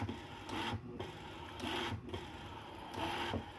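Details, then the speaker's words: eRacing-lab servo actuator on a Thanos controller (2560 chipset, firmware v2.26 fix7) driven past its end of travel while tuning stroke: rough buzzing motor strain surging about every 1.5 s, roughly 270% over torque, 400-470 W draw dimming lights; actuator stalling at end stop. "you can see actually the lights dropping a little bit brightness because it draws too much power"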